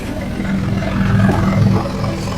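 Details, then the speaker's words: Car heard from underneath: loud deep blowing roar at steady engine speed, exhaust escaping through a broken exhaust pipe; needs welding at an exhaust shop. "Biasalah ada itu exhaust. Dia punya itu pipe kan, dia sudah patah."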